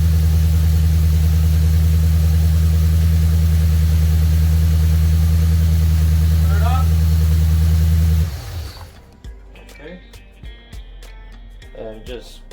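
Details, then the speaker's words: Lexus RC F after priming the supercharger oil system, oil right on max: about eight seconds of steady, even low idle with no knocks or whine, then switched off. Supercharger sounds healthy; normal idle. "All right guys, so the car idle really well. The supercharger sounded healthy."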